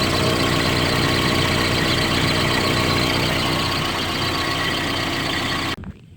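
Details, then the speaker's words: Car that ran rough after MAF cleaning, with MAF rubber O-ring gasket reinstalled: idles with steady, even hum, no stumbles or hunting, before switch-off; runs well with the gasket, stumbles without it. "I've started up now we will see that the engine is running well with the gasket"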